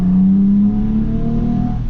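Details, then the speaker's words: 2004 Toyota Tacoma (1st gen) with a new cold air intake and an aggressive aftermarket exhaust, driven at full throttle: deep, loud growl pulling hard, pitch shifting smoothly with no misses or rattles; normal acceleration. "All right, it's definitely real loud. Sounds really aggressive. It sounds like a really aggressive exhaust, which I already have one on, but when I punch it, like"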